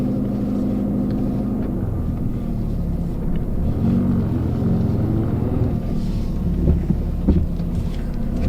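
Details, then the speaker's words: Peugeot 206 on the road after replacing a sway bar link and fitting a coilover with a new top mount and bearing to fix clunking over bumps. Steady road rumble with no knocks or clunks; normal suspension. "woohoo everything seems pretty good for now i don't hear any noises"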